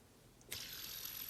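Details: Smooth high-pitched whir with a faint thin ring after a quick flick: the Air by Magnus yo-yo's bearing spinning freely and healthy.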